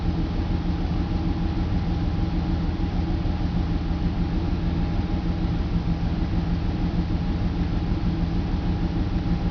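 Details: BMW 325 M54 cold idle with an uneven pulse of roughly two beats a second, misfire codes on cylinders 3, 5, sometimes 4; crankcase valve, plugs, coils, fuel filter replaced and injectors cleaned; smooths when warm; rough idle with misfire.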